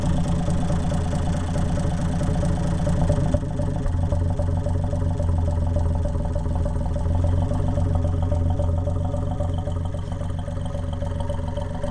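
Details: Undertiller engine run without exhaust, lifters not yet adjusted and timing off: loud, raw open-exhaust bark at idle with an uneven clattery beat; rough open-exhaust idle.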